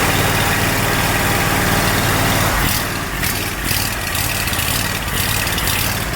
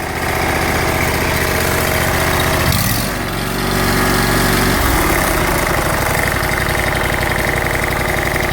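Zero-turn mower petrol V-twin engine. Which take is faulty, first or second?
first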